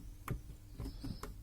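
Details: Loose plastic wheel-arch liner on a VW Golf 4: dry plastic crackle in quick irregular bursts heard in the cabin over small bumps at minimal speed; the liner had been twisted out and rubbed against its fastener.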